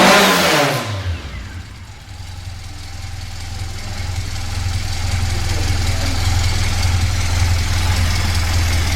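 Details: Fiat 127 four-cylinder, first start after a 5-month rebuild: catches after a rough crank, then a steady, even idle with a gentle rise in revs; runs healthy.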